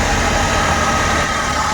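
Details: Suzuki Every Wagon after repair of a misfire on one cylinder: small petrol engine idles smoothly and evenly with air conditioning on, no vibration, stumble or shake.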